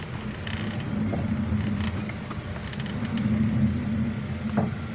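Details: Car rolling and braking: a low, uneven growling creak comes from a worn, scored brake disc; the wheel and disc are then removed for resurfacing.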